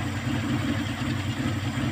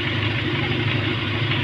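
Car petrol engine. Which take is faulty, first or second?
first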